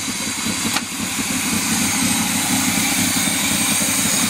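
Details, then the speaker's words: Old fire truck, first run, cold, charging check reading 14.5 V at idle: slow, lumpy, very low idle with a loud hiss; muffler nearly fallen off and air pumps only partly connected. "go ahead and crank it up bud we're going to check and see if it's charging as if i don't lose my test lead over here just let it item 14 and a half at idle a very low idle"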